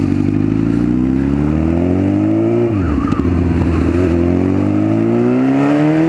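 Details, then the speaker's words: 1996 Honda CBR900RR Fireblade with swapped-in 2004 CBR1000RR engine on its first test ride after cooling fixes, no exhaust fitted: harsh raw bark rising with revs, dropping on throttle blips, then rising again; very loud without a silencer. "okay it's a shame I've got put an exhaust on it cuz that sounds bloody L"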